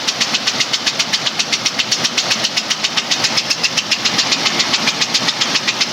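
Sharp metallic tapping knock, even and steady at roughly three to four per second at idle; the source is unknown.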